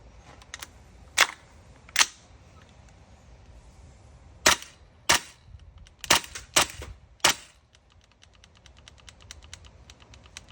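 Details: Tokyo Marui MWS gas blowback rifle with F1 bolt, GM nozzle set, Federal Concepts NPAS, buffers, nozzle guide and Bavtac Z plate: uneven bursts of sharp cracks with weak pops, misfiring; owner suspects the trigger box.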